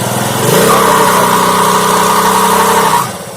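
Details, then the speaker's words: Honda Activa scooter on stand with no pickup: steady high whine under throttle but revs don't rise cleanly; CVT drive belt slipping because engine oil got onto the belt. "अंदर ही रहना है belt फिसल रही है।"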